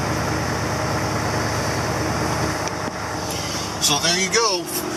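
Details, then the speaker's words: "Ol Green" after a cold start at 25 degrees in snow, warming up: steady, dense idle with an even beat and no knocks or misses; running good, normal idle. "fire it up it's running good and we'll see what else is going on now for the rest of the day here I really do like the sound and really sound good"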